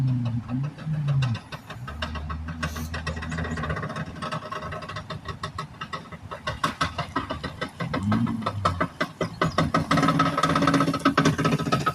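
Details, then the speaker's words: 2018 Ford Edge driven at about 5-10 mph after freeing sticking brake pads: rough, uneven clicking and grinding under a low rumble from the passenger-side wheel; wheel shows slight play, a bad wheel bearing. "That sounds like something definitely broke in there. See here. See if we can grab the wheel and wiggle it and see if it makes any clunking noises. Has a little play in it. Bad wheel bearing."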